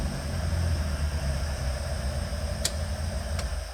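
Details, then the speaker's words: Mk1 Ford Escort with freshly built 1760cc Ford Crossflow: fully ported head, big high-RPM cam, high compression, Jenvey throttle bodies, Emerald K6 ECU; cold on base map. Low, slightly lumpy but steady cold idle, no misfires or mechanical noise; normal. "It's a 1760 with a fully ported cylinder head, big lary cam for high RPM and to run like that on a base map at cold, that is phenomenal"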